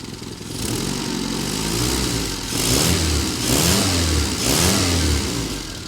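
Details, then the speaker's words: Engine warm, temperature rising after returning to basics on coil issues, newly installed with new radiator: clean smooth rev blips, no misfire, knock or rattle; runs healthy. "Yeah, temperature's rising. Good. Sounds good. Sounds great."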